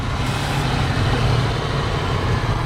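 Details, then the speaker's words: 1986 Ford Mustang GT 5.0 V8 five-speed, sat 20 years, first start after distributor PIP sensor fault was found and fixed: smooth, even low idle rumble with a steady beat, no ticking or misses; runs quietly and healthy. "Actually idling now. All right. Not a single tick out of the motor, man. Oh, listen how quiet that sounds."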